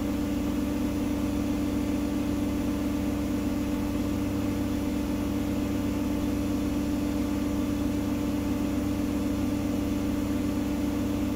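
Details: Gorenje SensoCare WAE74 washer after motor bearing replacement: smooth high-speed spin reaching 1400 rpm in about 16 s, motor barely audible, low hum from worn pump; normal quiet spin.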